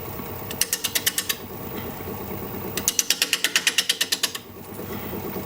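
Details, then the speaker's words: Wood lathe turning sycamore: quick bursts of crisp regular ticking about three a second while turning; recurring spindle noise, cause not yet confirmed. "you can hear my spindle making noise again i've been doing that the last couple of"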